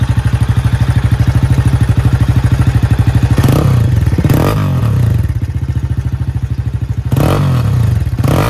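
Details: Low-mileage Jawa 42 with bend pipes running straight from engine to exhaust: single-cylinder idle thump with loose dry clatter through throttle blips; major engine noise, source not pinned down, said to affect more than one bike.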